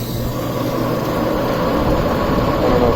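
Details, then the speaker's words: Old warehouse exhaust fan before repair: steady fan roar with a rough, uneven rumble and churning building slightly as it runs; worn blower bearings, to be replaced along with motor. "hear that power well it's kind of a lot of bearing noise all right so that's before"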